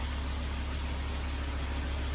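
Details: 2002 Volvo XC70 2.4 turbo idling steadily after the cam sensor aperture ring and housing were replaced to fix long cranking; it now starts easily. Even low hum, smooth regular beat, no knocks or misses: normal idle.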